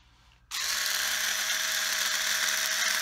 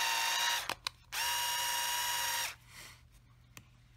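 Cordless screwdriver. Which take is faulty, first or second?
first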